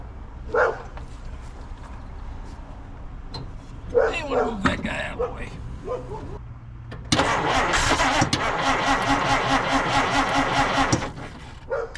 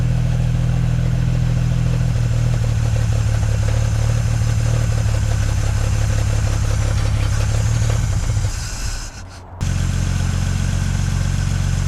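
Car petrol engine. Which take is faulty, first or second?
first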